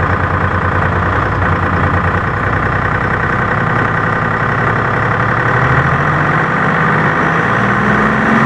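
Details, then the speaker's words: M561 Gama Goat diesel idling on first start after fuel pump rebuild, after an earlier loss of power; loud, steady, even idle with pitch creeping up near the end, runs smoothly with no stumbling. "so we'll go ahead and start it up and make sure it means good to go so pretty good"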